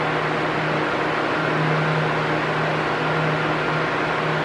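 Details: Arno Silence Force 40 cm fan at maximum speed: a loud, steady rushing hum with an even low tone and no rise and fall, which is normal; an oscillating loud-soft noise would indicate a fault.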